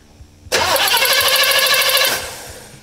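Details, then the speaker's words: 1958 Chevrolet Impala on a points distributor after installing a Go Spark CDI ignition box, ballast resistor bypassed for 12 V; wouldn't start on points even with a good battery: catches instantly on first crank and runs steadily without misfire; normal start. "So as you can see, the ignition energy from a CDI ignition system helps with starting. It wouldn't even start with the old points ignition system, even with a good battery. But with the CDI, it starts, it fires up, it's got all the power it needs."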